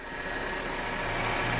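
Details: 2012 Chevrolet Captiva 2.4 16v petrol at idle after repair, with idle lowered, timing advance and engine load back in range: steady, even smooth hum with no knocks or misses; engine sounds healthy.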